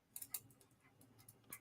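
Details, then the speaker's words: Deliberately bad electrical connection under live vacuum load, contacts pitted, wire warming in hand: sharp irregular snapping ticks in short Morse-code-like bursts; arcing at a loose connection. "The wire's getting warm in my hands. So, just okay, so we know, so we got some arcing."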